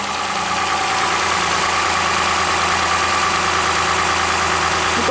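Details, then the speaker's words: Lexus RX 330 3MZ-FE petrol V6: uneven, lumpy idle with strong cylinder-to-cylinder imbalance, a mechanical problem shown on oscilloscope and efficiency test. "то есть у нас явно проблема с железом явно у нас значит разнобой причем разнобой хороший"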